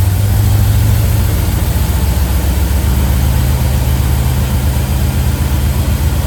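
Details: 1971 Plymouth Road Runner 440 V8, after timing chain/front cover and ignition work, on jack stands before warm-up: steady deep even idle, no knocks or ticks over the exhaust rumble; healthy.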